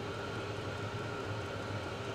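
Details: Vevor 5 kW diesel parking heater on kerosene and a 12 V car battery, at full heat. Heat exchanger 60°C, peaking toward 87–99°C. Steady even roar, faint constant hum, no ticking or stutter. Burning normally.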